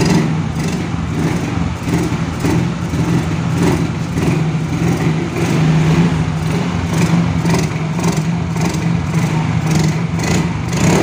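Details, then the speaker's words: Yamaha Mio Soul GT scooter that dies when throttled, no MIL code or scanner reading: revs in rough surges only with petrol poured in at the air filter intake; confirmed weak fuel injector. "Oke Lur ternyata mau ya kalau di sini dibantu bensin dia mau digeber tapi kalau enggak enggak mau"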